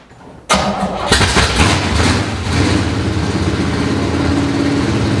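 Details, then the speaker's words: 1970 Chevy C10 revived after sitting 10 years: quick crank, then the V8 catches and settles into a very loud, raw, open rumble at idle, running with no exhaust fitted. "it needs an exhaust because she is loud and i mean loud i guarantee you the neighbors hate me"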